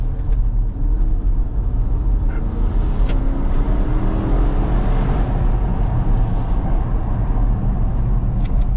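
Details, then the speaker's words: Porsche Cayenne Turbo S 4.8-litre V8, warmed up and run after a turbo replacement, under hard acceleration. The engine pulls strongly with a clean rising whistle as boost builds, with no rattle or flutter. The turbo spools normally. "Là il envoie sa race mais c'est un truc de fou."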